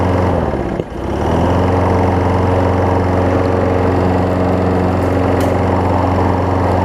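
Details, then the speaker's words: Craftsman 6 hp self-propelled mower after a new spark plug, belt refitted, testing self-propel: after a brief dip the engine settles into a steady, even beat with no misses or knocks; running healthy. "I'll work on that as well but I think this self propels guy works let's go and see"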